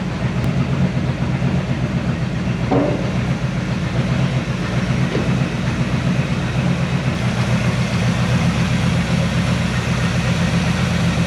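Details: 1970 Chevy C10 with 327 small block and HEI distributor, starts hard when hot: lumpy uneven idle with unsteady pulse and stumbles, stinky and noisy; rough running from distributor installed wrong, ignition timing off, cap and rotor junk.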